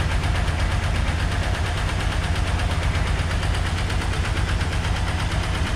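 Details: Ford Turbo Coupe parts car, first start after fuel added, integrated control module jumped and ignition switch replaced after many tries: loud uneven chugging with irregular beat; rough running, possible misfire, plug wire on wrong cylinder noted.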